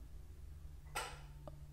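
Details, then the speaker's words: Honda Element at idle, AC compressor clutch commanded on through a Thinkscan 689BT scan tool actuator test: steady idle hum, then a single crisp click as the clutch pulls in; clean, normal engagement. "let's go do some other tests AC clutch let's see if my AC clutch is coming on"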